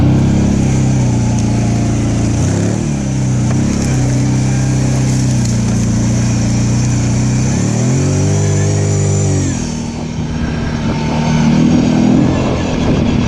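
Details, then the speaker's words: Off-road machine with a CVT, on its first trail ride after being brought back to running, warning light on: engine sags and labors under load, then revs flare without matching drive. The CVT drive belt was slipping and later broke. "Dang it, I know what that is. That's the belt. That light's been on and it's slipping. That's what that is. It ain't the timing chain."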